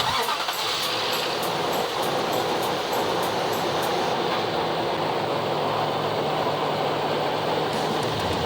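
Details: 2004 Nissan Titan petrol V8 starting and idling steadily after alternator and serpentine belt replacement. No belt squeal or warning chimes, no check engine or battery warning lights, voltmeter working.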